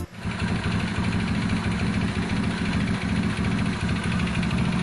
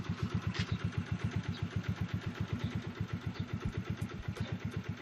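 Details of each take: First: Mio Sporty scooter before repair: loud rough idle with a dense low rattling knock under every turn, from a worn crankshaft connecting rod bearing; very noisy. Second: Yamaha Mio Sporty scooter after repair: steady even putter about four beats a second, no knock or rattle; noise gone and engine running well, test drive performed well.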